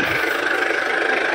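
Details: Diesel car idling during an engine health check, while the exhaust is checked for smoke (none at idle): steady, even idle with a smooth hum and no uneven beat or knock; normal healthy engine.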